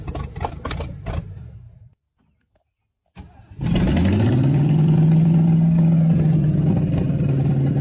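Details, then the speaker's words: Old car engine cranks, catches and settles into a rough, low, wavering idle close to stalling, with some popping; won't stay running, carburetor suspected of needing work, possibly sticking throttle plates or a stuck needle and seat, unconfirmed. "Yeah, I think that carburetor just needs work to keep it running."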